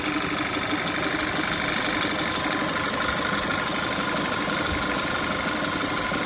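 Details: Audi A5 petrol engine idling with an uneven, stumbling beat; misfire, owner suspects crankcase breather vacuum leak, fixed by replacing the engine breather.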